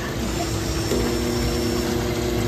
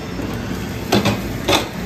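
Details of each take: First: Pitco fryer auto-filter pump tried to run and tripped its breaker: steady loud electrical hum with no spin-up; pump motor is locked up, something suspected in the impeller; seized filter pump. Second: Pitco fryer auto-filter cycle, filter pump's breaker tripped: drain valve opens to drop oil into the pan, two short sharp clunks about half a second apart over a quiet hum; valve actuating normally.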